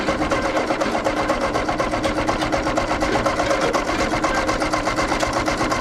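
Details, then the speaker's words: Ford 8N tractor, a hard starter, cranking without catching: slow steady churning about two beats a second with starter whine; flooded after a stuck carburetor float let fuel in, old fuel suspected, spark unchecked. "I did have a bunch of fuel down in that carburetor so that float must have stuck when I first open it doesn't seem to be dripping out of there now but it was enough that it flooded it"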